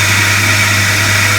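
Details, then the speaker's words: Jeep WJ 4.0 after new spark plugs and ignition coil, start-up; steady idle with constant high hissing whir from a noisy pulley, owner thinks power steering bearing; quieter after seven or eight minutes running. "it don't sound much different except uh to hear that i've got a pulley to make it some noise"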